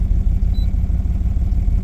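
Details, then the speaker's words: 2007 Dodge Ram 1500 5.7 L HEMI idling rough: uneven lumpy idle with irregular thumps and a backfire; codes P0300, P0032, P0118, owner suspects cylinder misfire, possibly needing a coil, plus oxygen and coolant temperature sensors. "okay yeah definitely running rough whoa did you hear that woo okay yeah I didn't like the sound of that at all"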